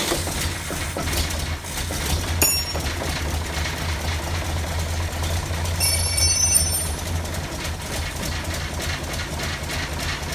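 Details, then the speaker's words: 1947 GMC truck engine on a 6-volt battery, extra gasoline poured in: low uneven hum among clanks for several seconds, then sags and fades out; will not idle, cause not yet found; engine stalls after brief running. "so a little more gasoline I don't know why it's not idle in that either but I guess I'll have to solve that next"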